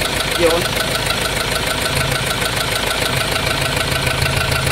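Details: 2.2 engine with 6-speed: idling with a loose, uneven knock about three a second under a steady hiss, white smoke, coolant mixed with oil; piston ring suspected, engine won't switch off via start button.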